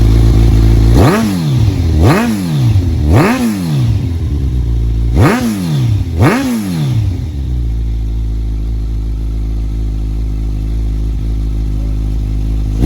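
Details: 2015 Kawasaki Z1000 with a newly installed cheap eBay header kit and no catalytic converter: five quick throttle blips, then a lumpy idle with a raspy, puffing note. The exhaust leaks at one side's clamp however it is positioned.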